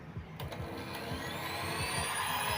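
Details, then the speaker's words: Cake hand mixer (Philips) after repair of rough, growling noise: motor spins up to a clean, steady whine with no grinding or rattle, now smooth and normal. "didengar ya sangat halus ya sekarang tadi kan kasar sekali untuk suaranya dan sekarang sudah halus dan sudah normal"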